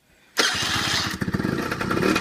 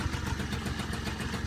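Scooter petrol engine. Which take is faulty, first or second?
first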